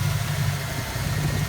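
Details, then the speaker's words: Fox Body Mustang 5.0 V8 idling after water pump replacement, plus timing chain and alternator work: steady, even idle with no ticking, knocking or bearing noise, much quieter than with the old noisy water pump bearing. "this is so much quieter without a noisy water pump bearing sounds good"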